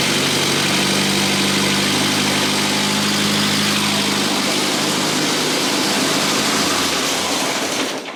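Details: 1962 Austin-Healey Sprite after 10+ years of storage, started in gear on a lift following an engine teardown that fixed a lower-end knock, with no coolant yet: even, steady running, then a clean shutdown with no knock. The transmission is fine, but the open differential suggests a dragging brake is suspected.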